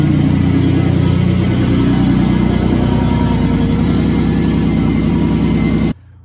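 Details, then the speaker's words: 2006 Buick Rendezvous 3.5L with an intermittent no-start, running with the exhaust removed. A loud, raw, steady rumble with a fast even beat cuts off abruptly. The noise is from the missing exhaust, not an engine fault; the fuel pump and a burnt fuse are suspected. "okay I'm going to show you that it's running fine now I'm going to run the scope and we'll start it up this thing's really loud cuz the exhaust isn't on"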